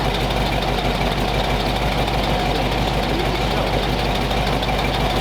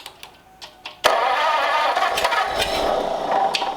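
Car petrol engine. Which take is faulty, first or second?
second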